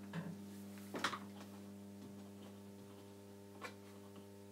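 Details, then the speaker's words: NAD 3020 Series 20 amplifier on 50 Hz mains, with the preamp link wires removed: constant low 100 Hz hum with buzzy overtones from the power amp section, attributed to aged filter capacitors. Amplifier mains hum from aged filter capacitors. "this was hundred Hertz hum this was like a mains frequency hum the mains frequency actually is at 50 Hertz but you get a 100 Hertz hum from the mains if the filter capacitors are"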